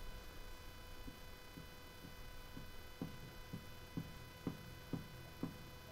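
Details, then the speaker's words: Crew Cab Charger front wheel rocked up and down in a quiet shop: a dull clunk about once a second. Play suspected at the wheel bearing or ball joints, not confirmed; the steering box is not worn. "It could be the ball joints too, but the bearing is not happy. Or it could Well, it could be the ball joints, but it there is some play there."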